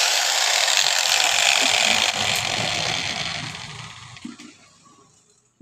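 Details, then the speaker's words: Angle grinder (model 801) on mains power: harsh, gritty whir under a high motor scream, fading on spin-down, with sparking at the carbon brush base; the 607 bearing is shattered with balls displaced, and the 607 and 608 bearings are being replaced. "এই যে দেখুন বন্ধুরা এই ব্যারিয়ারিংটা ভেঙে কুচি হয়ে গেছে এই যে দেখতে পাচ্ছেন দেখেন সব কুচি পড়ছে বলগুলো সব সরে সরে গিয়েছে এই কারণে মেশিনে হরমোর হরমোর শব্দ করছে"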